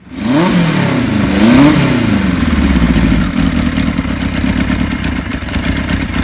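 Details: 1976 Kawasaki KZ900 engine after a new cam chain (the old one was loose and noisy) and new gaskets, with the clutch and stator gone through; it smokes slightly on colder plugs. It catches, blips, and settles to a smooth idle with no top-end rattle, so it runs normally.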